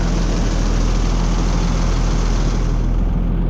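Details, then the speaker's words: Oliver Fleetline 88 tractor, first start in about five years on old fuel, still cold: a deep, steady, unbroken thump of about 3.5 beats per second, oil pressure up and charging, a clean normal idle. "The oil pressure is showing and it's even charging. Love, love that."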